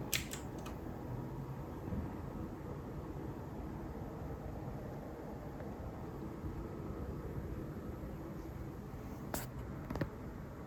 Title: Coil Whine with new Nvidia 5080. Weird, loud buzzing noises and crackly audio while gaming.